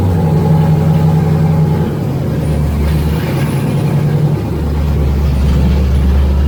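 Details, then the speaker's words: Freshly rebuilt engine (forged pistons and rods, 10.3:1 compression, Isky lifters) after first start; loud low steady rumble holding its beat through light revs, no tapping or clatter; normal running. "Sounds like it's running. It's pretty loud."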